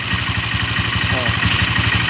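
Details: Engine idling with the valve cover open after a valve tappet adjustment: a dry, busy tick on each beat; no oil rises through the feed hole, so the rocker arm is oil-starved and noisy.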